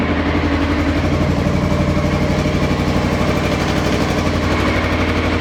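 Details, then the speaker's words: 2000 Honda CBR600 project from a hedge, cold after first start: loud idle with an uneven, lumpy beat around four pulses a second and a raspy edge; rough running, owner suspects an exhaust blow and unbalanced carbs, unconfirmed. "So, sounds a bit rough, but let's let's see if it'll start again. Pretty sure there's a blow from the exhaust."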